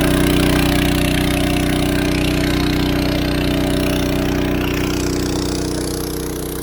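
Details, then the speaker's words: Engine-driven water pump at a dam, pumping about 225 m up to a holding tank, running after replacement and problem fixed: steady, even drone with a smooth low hum, no knocks or surging, running cleanly under load. "Finally. This is the sound I want to hear. Finally. Success."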